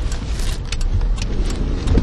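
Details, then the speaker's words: Kia Picanto turning slowly: faint uneven clicks under a low rumble, heard clearly turning left and also right, from a worn outer CV joint. "вот как раз таки налево он очень хорошо слышно"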